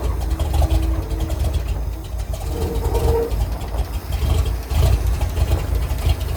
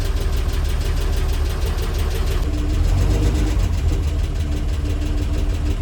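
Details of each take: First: R-170 4x4 International truck after repair work, started after running badly before: catches and settles into low, even, deep idle about 300 rpm, steady firing, no stumble; healthy apart from one noisy valve. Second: International R-170 4x4 idling down to about 300 rpm: slow deep idle with a light regular tick about three a second from one noisy valve.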